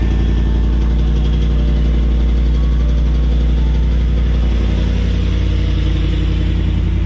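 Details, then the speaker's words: Ford Coyote V8 in a restored Bronco, warm after startup, with a deep, smooth, even burble and no ticks. The factory timing on startup had made a rattle-like exhaust tone, which has now calmed down. "but now that it's done its thing it's calmed down it's really nice"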